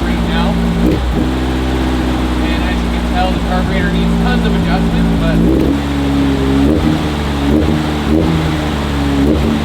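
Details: 1968 VW Beetle air-cooled carburetted engine, just started with choke on and primed with fuel. Uneven idle hum that shifts speed partway through. Engine smoking. Rough idle.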